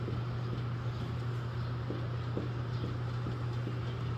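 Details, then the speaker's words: Car with a suspension clunk-rattle on road test, jacked with a 2x4 loading the sway bar: pulling it by hand gives soft irregular clicks over a low hum. Worn sway bar bushings and end links, also arms clicking slightly. "we've got a full Jack with a 2x4 putting a little bit of pressure on the sway bar and when we grab it and pull it you can hear audible clicking"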